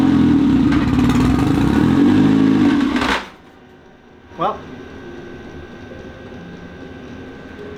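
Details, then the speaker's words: Mazda Miata drift car engine, fourth motor, with swapped transmission: revs hard and unevenly for about three seconds then cuts out abruptly; owner suspects it jumped timing again, as it did before. "that's about the sound it made when it jumped the timing the last time. So, all right. I guess that's the end of it."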